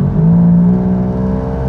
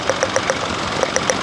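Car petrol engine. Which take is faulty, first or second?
first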